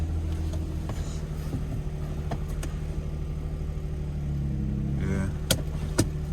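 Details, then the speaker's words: Steady, even low hum at idle with no knocks or misses, just a few small clicks nearby, from a 144,000-mile auction car (Infiniti or Nissan) with a weak battery; engine sounds healthy, normal idle. "sounds really good okay yeah this thing sounds good 144 000 miles definitely uh this might be a good one from where it sounds"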